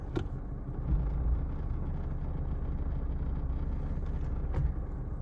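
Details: Mercedes W124 idling in Drive: low uneven rattling over a steady idle with a couple of sharper knocks; defective engine mount.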